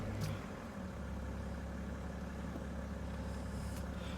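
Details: 2010 BMW 530d E61 diesel with no-crank complaint, starter now working: steady low diesel idle with even rumble, no knocks or starter noise; engine runs smoothly and sounds healthy.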